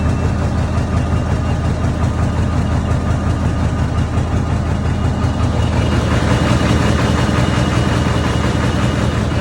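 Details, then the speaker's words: 1994.5–97 Ford 7.3 Powerstroke, 300k+ miles, just after IPR valve replacement, 62°F start after glow plug cycle: uneven lumpy diesel idle as if one cylinder missing; owner suspects dead cylinder or clogged injector, then smooths out. "I wonder if it was a dead cylinder cuz now it seems to be sounding better"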